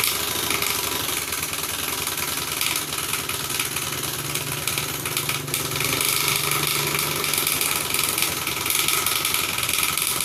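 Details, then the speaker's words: Honda Scoopy FI scooter won't move though engine runs: harsh scraping rattle from the CVT when throttled; went rough suddenly while riding. "Motor ini tidak bisa berjalan ketika mesinnya hidup ya dan berbunyi berisik pada baki."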